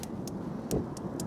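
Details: Monument Grills 35633B infrared propane grill, burners on max in light wind outdoors: sharp, evenly spaced igniter clicks about four a second; burners light normally.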